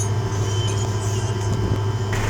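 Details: Boat diesel engine, second overhaul after knocking on its first trip, just fitted with new oil pump; at idle oil pressure reads 50 with strong oil flow to rocker arms; low steady drone, even beat, no knocking; normal idle.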